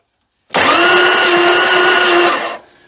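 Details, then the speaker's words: 1979 Dodge D300 one-ton truck sitting 20+ years in woods, starter spins with fast even whine and no compression chug; gauge reads zero on most cylinders, none felt by finger; owner suspects valves held open, perhaps by acorns. "let me just stick my finger over and see what happens well it has none no"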